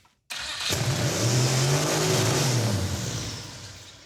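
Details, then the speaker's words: Turbo Mazdarati 2.0 fired up: engine catches and instantly flares to a screaming high rev that hangs, throttle stuck open, while in reverse and spinning backwards. "throttle stuck open much it's also in Reverse yeah it was spinning backwards but also didn't it rev to the Moon"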